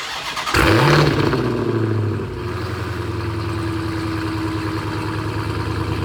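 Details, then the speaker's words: Rebuilt auction Dodge Demon 170 supercharged Hemi V8, first start after completing repairs: catches at once, flares up with throaty rev, then settles into smooth, even idle; healthy start. "Aquí es cuando lo encendemos y lo empezamos a acelerar para que ustedes se emocionen porque suena 20 de 10."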